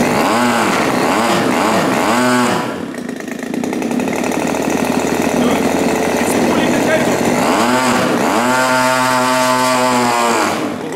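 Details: New Turnigy TP31-T 31cc twin gas engine (CD ignition, Walbro carb) on break-in with a 30:1 mix: revs up and down cleanly, then holds a steady high buzz with even firing and no misses, running healthy; the high-speed needle is still to be set.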